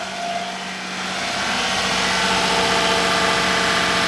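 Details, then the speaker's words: Daihatsu S210P mini truck engine after new OEM camshaft and phaser, sat two years: revved, climbs smoothly and evenly in pitch, no knocks, misses or rattles; free-revving. Smoking slightly, blamed on rings reseating. "Let's give it a little rev. Power, baby. Oh, power. The power, baby."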